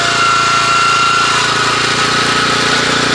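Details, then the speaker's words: 1981 Honda F200 garden tiller with the tines lifted off the ground and the clutch only slightly engaged: fast, steady engine beat with a busy rattle on top and no labouring; much less strained, running freely and healthy. "And you can notice the different sound that it makes. It's a lot less labored. So this is kind of just like a car idling down the highway."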